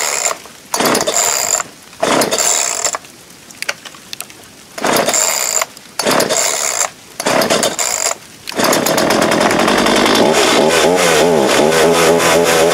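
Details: Homelite 3514C chainsaw, stock, started outdoors in sleet: several sharp cord pulls with gaps, catches at about eight seconds and runs with a steady, buzzy two-stroke note; normal running.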